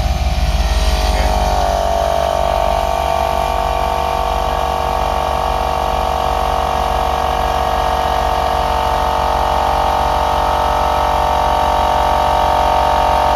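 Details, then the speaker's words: 1996 Jeep Grand Cherokee 5.2 V8, newly mounted on-board air compressor running with engine idling: fast even chugging buzz building pressure, cuts off at 135 psi; compressor working normally. "we can see it's building pressure cranking right up no problem and then what will happen is when it gets up to 135 you'll just hear it release a little bit of air and then the compressor will kick off"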